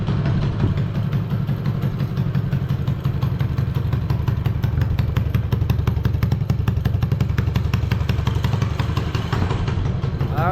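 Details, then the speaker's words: 212cc minibike with adapted 125cc ATV exhaust: steady, even exhaust beat with no stumbling or breaking up; running clean and healthy. "There we go. That's the type of noise I'm looking for."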